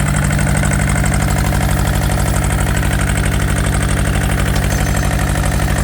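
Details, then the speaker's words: Yanmar TK486 4-cylinder diesel, throttle low: low, steady, lumpy thumping idle lacking punch, missing when revved; two front injector lines cracked loose and leaking, so it probably runs on only the back two cylinders. "So there is an explanation of why I thought it sounded like it was missing. We've got these two front cylinders unhooked. So we were probably running on just the back two."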